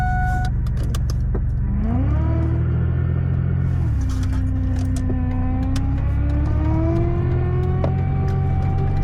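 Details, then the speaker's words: Power steering pump whine on a car being prepped for a long road trip: a whining tone over steady idle climbs and holds with the revs; owner thought it was fixed earlier, fears pump replacement. Cause suspected, not confirmed. "you hear that right now that's my power steering pump that's another thing I want to get fixed I thought that I fixed it earlier but it's making sounds again"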